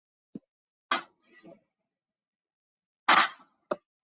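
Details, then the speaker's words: Brake on running equipment heard during ultrasound inspection: sharp short clicks to engage and release with a running sound between, no squeal or drag; normal operation, since a squeal would mean the brake is out of adjustment. "like that's what it's supposed to sound like so it's supposed to just be a click and then a a a running sound sound and a click the start and stop that's all you hear is a start is a click to start click to stop"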